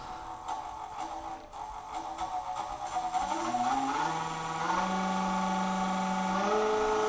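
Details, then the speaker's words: Nova Voyager DVR 58000 drill press spindle at about 1,600 RPM, during a speed sweep: the whine climbs smoothly, then holds a steady, clean tone, much louder than at low speed; no grinding or knocking, healthy. "so now we're about 1,600 RPM it's definitely a lot louder moving quite a bit faster"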